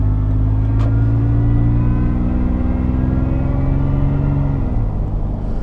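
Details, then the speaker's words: Toyota FJ Cruiser with supercharger, hard throttle: loud exhaust roar with a steady supercharger whine on top, then easing off; normal supercharger whine under acceleration. "as you see this truck really goes with the supercharger sounds awesome as well you got the the wine of the supercharger you have the boiler exhaust"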